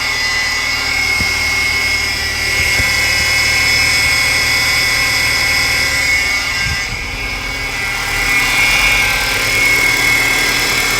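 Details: 2012 Ford Fusion running with a steady high-pitched whine over the idle; worn poly-V serpentine belt pulleys needing replacement, with belt replacement advised too.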